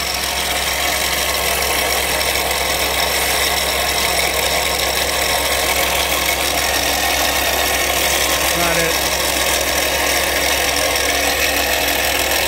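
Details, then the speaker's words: Toyota Sienna at idle, heard under the hood: a loud, constant gritty rattle and buzz from the belt-driven accessories, traced with a screwdriver stethoscope to the alternator; its one-way clutch pulley has failed, and the alternator is replaced. "that is uh quite the loud noise [Music] let me Shut My Hood prop in place and I've showed you this tricks before taking a long screwdriver and then you put it down onto the accessories to try to find the noise because that's a belt driven noise"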